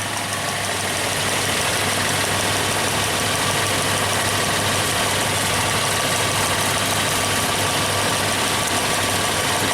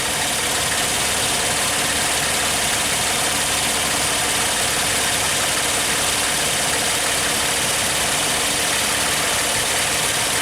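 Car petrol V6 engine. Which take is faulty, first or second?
first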